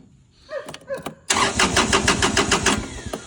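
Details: 2022 Kubota L2501 HST tractor with fuel present and safety switches checked: after a few clicks the starter spins the engine at about three and a half turns a second but it never fires; crank-no-start from a bad fuel shutoff solenoid connection.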